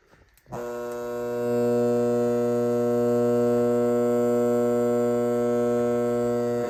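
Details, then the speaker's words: Lasko fan with blades removed, recorded indoors: steady low electrical buzz starts and holds level, like a garage door opener AC motor; motor hum without blades. "That's the sound for it. It kind of sounds like a garage door opener AC motor buzzing when the blades are not attached."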